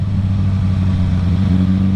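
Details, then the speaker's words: 2007–2008 Suzuki GSX-R1000 four-cylinder: low, uneven drone with hesitations, a bad misfire below 8k rpm; aftermarket exhaust, Power Commander and air filter did not cure it; traced to faulty bottom fuel injectors, later replaced. "when I bought this bike it had a bad misfire in it in the bottom end of the Rev range you hear that right there"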